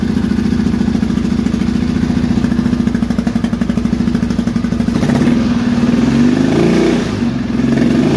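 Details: Triumph T140E Bonneville 750 twin, converted to T140V style, first start after fitting an electric starter kit and refitting the tank: steady, even fast idle, then a smooth rise in revs, pulling cleanly with no knocks or misses; normal running.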